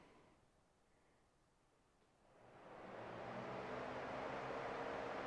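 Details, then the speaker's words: Pontiac Firebird engine fans commanded on via scan tool, checking overheating with fans not engaging: quiet, then smooth rising whoosh as low-speed fan 1 and high-speed fans 2 and 3 spin up steadily; fans, relays, wiring work. "so I'm going to hit the fans and let's see if we can hear them and we'll turn it on the Fan's running I don't know if you can hear that or not"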